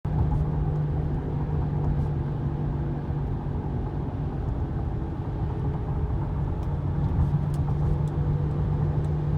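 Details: 2015 Honda Pilot with 59k miles, steady low hum from the front end under road noise while driving; owner unsure whether tires, wheel bearing or differential.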